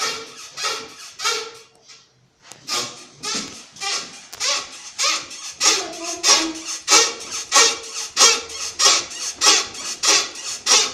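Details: Toyota Mark II JZX110 rear floating suspension bushing: sharp, high rubbery squeak repeating about every two-thirds of a second with each rocking motion; dry worn bushing, silicone grease helps only temporarily, fix is replacing the hub carrier or the ball joint.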